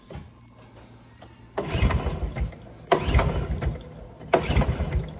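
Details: 1996 Honda TRX90 ATV barn find with an aftermarket Chinese CDI box, cranked with throttle and starting fluid: three bursts of rough chuffing cranking but never catches; no-start, suspected no spark.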